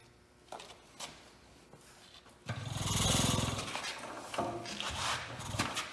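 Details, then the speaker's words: Hercules 12HP antique hit-and-miss engine just started cold, firing first try; slow uneven chuffs and pops about three a second as the single cylinder fires and coasts, running normally. "so okay well we lucked out she fired right up on the first time seemed to be running good"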